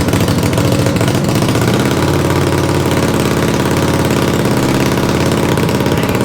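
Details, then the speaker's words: 500cc racing mower build, second attempt after a part broke, steady even mid-pitched engine hum at constant speed while the wheels turn, no knocks or misses; running normally. "thank you all right we got it running we're not sure if it moves on its own power but it's the wheels turn everything's good"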